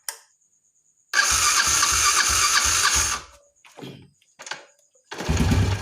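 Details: Carbureted motorcycle, pilot jet returned from K35 to K38 and air and idle screws adjusted: catches and blips up cleanly, revs rising and falling crisply with no stumble, previous bogging on throttle gone; normal throttle response.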